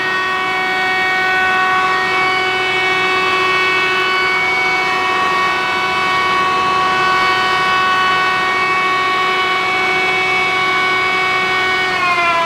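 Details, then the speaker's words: F12-090 hydraulic motor on a bench test at about 3,200 RPM, run as the customer ran it. Steady, even whine, no squeal or rattle. Motor is fine; the customer's noise is suspected to be aeration from their pump drawing air or low oil. "No squealing. So, we've ran it the same way they ran it, but we don't have noise."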